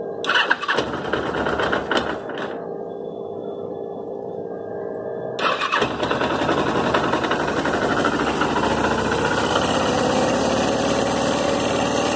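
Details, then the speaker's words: Suzuki GS 500E starting and settling to idle with a loose, uneven clatter on top; mechanic said the bike was fine but owner hears an abnormal noise present at idle, gone at high revs; source unconfirmed. "ele falou que a moto está filé e eu mostrei para ele e falei pra ele que existe um barulho aqui que não eu não tô sentindo firmeza nessa madrugada o primeiro"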